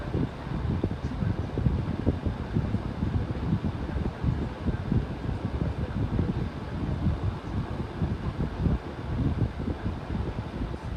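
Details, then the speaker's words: New Hampton Bay 11-inch table fan on low: low uneven rushing whoosh, no clicking or rubbing, moving lots of air; owner thinks it is just airflow, unsure if same fault as previous defective unit. "even though low the thing is moving quite a bit of win was a ton of air on low"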